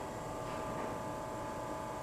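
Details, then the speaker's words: Old GE Monitor Top CK-2-C16 refrigerator with rebuilt sticker, about 5 minutes running with frost and ice forming, high side nice and warm: quiet steady hum, faint constant tone, no clatter; a runner, compressor running normally. "So yeah, that's a runner. Now, if the cabinet's restorable, that would be kind of nice, but at this point in time, I'm just happy to see the machine working."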